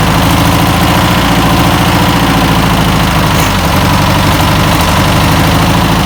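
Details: 1962 VW Type 2 bus flat-four, first start after over 40 years, with new belt, cleaned points and fuel poured in: steady, even chuffing idle with no knocks or misses, running smooth; normal idle.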